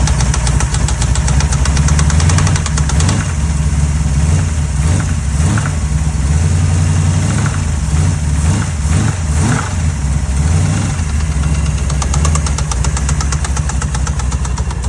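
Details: Small-block Mopar V8 with sudden knock/chatter, valve covers off found nothing: loud steady low run with a rough, intermittent knock coming and going; deep internal knock, cause not pinned down, engine later pulled.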